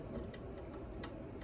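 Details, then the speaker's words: Classical guitar tuning machines turned by hand, giving dry clicks and a squeaky crunchiness like an unoiled hinge; this tuner is milder than the worst one. "So you hear that kind of squeaky crunchiness. It's almost like a unoiled hinge."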